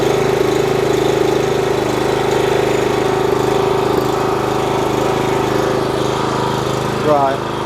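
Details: Steady petrol engine drone from a 4 kW generator on test, no load, with an even hum and no hunting or surging; it runs smoothly at the right speed, reading 52.3 Hz at 250 V, slightly high.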